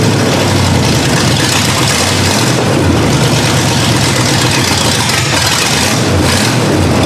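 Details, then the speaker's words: 1982 Ford Granada after years parked, just after first start with an unprimed carburetor: loud, uneven idle with the beat wandering and dipping every second or two, unable to hold steady. Carburetor suspected, not confirmed. Rough idle. "um it didn't seem to want to idle so i might have to look at the carburetor"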